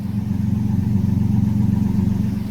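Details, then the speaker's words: 2012 Toyota Tacoma X-Runner 4.0 V6, owner plans exhaust upgrade; deep even exhaust pulsing with a slightly lopey, almost cammed-sounding beat, no knocks or rattles, a healthy running engine. "So it's a 4.0 V6. So let me see if you can hear it. It almost sounds cammed out."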